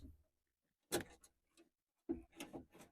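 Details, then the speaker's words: Power window inside the door, door panel off: dry plastic clicks in short bursts about once a second; regulator cables intact, owner suspects stripped plastic gears in the window regulator, which needs replacing. "My bet is it sounds like there's plastic gears back here. And if that's the case, sounds like they're stripped out."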